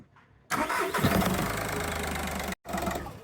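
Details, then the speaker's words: Skoda Fabia 1.4 diesel at start-up: catches and settles into a lumpy idle with a dull knock, suspected engine mount but traced to a loose airbox knocking against the ECU; tightening it cured the knock. "No engine mounts at all. Just that is way too loose. So we fixed that and we got rid of the knock."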